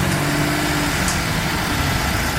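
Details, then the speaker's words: 2007 Dodge Ram 3500 turbo Cummins diesel idling after fuel priming, for black smoke/no power complaint: steady even smooth low rumble, no misses, sounding smoother than before. "It even sounds like it's running smoother all of a sudden. Sounds better."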